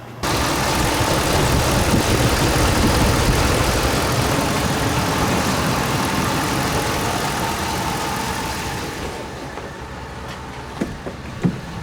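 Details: 2007 Dodge Ram 5.7 HEMI V8 after replacing leaking water pump, warming up while purging air from cooling system; steady even idle with smooth regular beat, no knocks or squeals, settling slightly quieter as it warms; normal idle.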